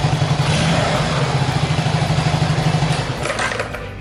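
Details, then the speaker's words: Honda Super Cub with a new starter motor, back in after a complaint of slow cranking, cold engine after sitting three days. Steady electric starter whirr with even cranking pulses about three per second, a touch slow but regular; starter judged acceptable. "Slightly slow? Well, it should be fine. Well, it's OK if it start once."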